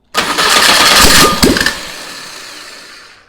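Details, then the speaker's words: Old VW Beetle engine sat two years, on start stand: catches and roars briefly when throttled, then falters and winds down within two seconds; ran out of fuel, engine otherwise runs good. "Okay, third time's a charm. Out of fuel. All right, well, it ran out of gas right when we went to throttle it up again."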